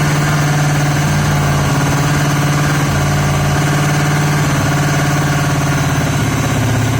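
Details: Yamaha XJ750 four-cylinder motorcycle brought back to life: lumpy, uneven idle with off-beat exhaust pulse, running only on cylinders three and four; one and two not contributing despite spark on at least one.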